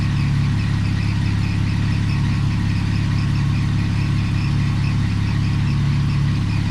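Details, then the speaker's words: 2001 BMW E46 petrol engine at steady idle after a Motor Medic engine flush and oil change; the earlier loud tick is gone but a faint repeating high chirp from a squeaking pulley rides over the hum. "Right now one of my pulleys is actually squeaking. So, but yes, you can't hear it anymore. Hopefully that did do the trick. So hopefully that fixes it. It doesn't sound as bad. Just the pulleys are being noisy now, but I'll take care of that."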